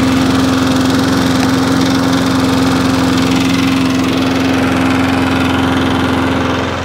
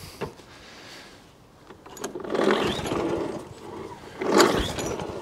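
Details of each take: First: Free Wolf petrol lawnmower, about 21-inch, now starting in 5–6 primer pumps and running at a smooth, constant speed with a steady buzz, no stumbles or surging; normal running. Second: Wolf 21-inch lawnmower, after a shop failed to fix it: after 10 primer pumps, two pull-cord cranking bursts that never fire; no start, suspected priming issue from cracked primer bulb drawing air.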